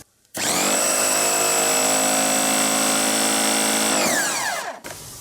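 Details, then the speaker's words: Oleo-Mac PW 110 C pressure washer after valve, seal kit and bypass/unloader valve replacement; motor snaps to steady high whine about three seconds then winds down as pressure cuts off, normal operation. "Тобто зараз мийка запрацювала в штатному режимі як нова."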